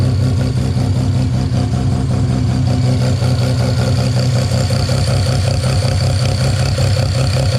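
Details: Mazda 13B rotary on IDA carburettor after fuel regulator replacement and float level reset with glass-ball needle seat; strong even rotary drone with steady low pulses, no stumbling, popping or hunting; normal running.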